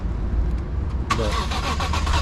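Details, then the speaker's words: BMW E46 M3 during SMG-to-manual swap: quick, rough starter churning, engine struggles and fails to catch; crank no start, owner suspects battery needs charging. "think it needs that charge."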